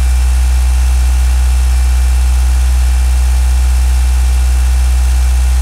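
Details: Mitsubishi Galant VR-4 first start after engine overhaul: steady even idle with deep low hum and no lifter tick from the top end; normal idle.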